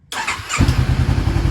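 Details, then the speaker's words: 2013 Honda CBR500R salvage-auction bike after new kill switch and oil change, previously no crank no start, second start: quick crank, catches at once into a steady, even idle; healthy normal start. "wow it works wonderful all right guys as you heard the bike fires right up and it sounds really good so that is amazing"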